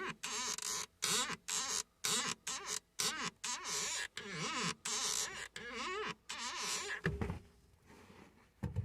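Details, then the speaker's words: Van brake/clutch pedals give sharp chirping squeaks and creaks with each stroke, annoying in stop-start traffic; apparently from the dried-up master cylinder where the piston goes in, and possibly the swivel joint, fixed by lubricating spray. "So if we look down here where our pedals are, it's got a really annoying sound, especially if you're in traffic and you're just trying to move forward inch at a time."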